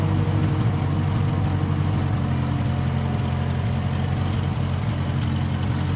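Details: 1955 Massey Ferguson MF65 tractor, in the family 30-some years, run after sitting about two years with a cleaned-out carb; smells of varnish and rusty gas. Steady, even low throb with no misfires, knocks or surging over several seconds. Normal running; Marvel Schebler carb may need slight tuning.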